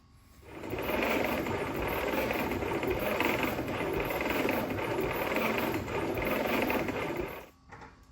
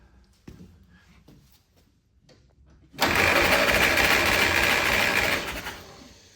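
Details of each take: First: 1946 Willys CJ2a after 40+ years sitting, dry compression test with no oil in the cylinders: fast, light, even cranking that spins too freely. Cylinders read only about 30–50 psi; low compression. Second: 1946 Willys CJ2a after 40+ years sitting, compression test with the engine warmed up: a short burst of even, regular cranking at about 3.5 beats a second. Cylinder 1 reads about 95 psi; good compression.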